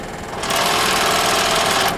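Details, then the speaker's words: Scroll saw with the blade tension turned down from the normal setting of 4: loud, fast buzzing rattle and shaking, the sign of a loose blade; retension to fix. "you can hear a difference there it like shakes and and uh makes a lot of noise so if you hear it making noise right when you turn it on then you know something's wrong okay"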